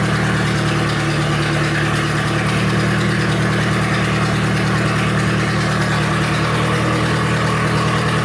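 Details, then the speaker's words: Turbo Nissan D21 Hardbody started after repair work, with a manifold not yet fully fastened and expected to leak. Smooth, even idle with a steady low rumble and no knocks, misses or rattles; healthy. "Woohoo! I think it sounds good."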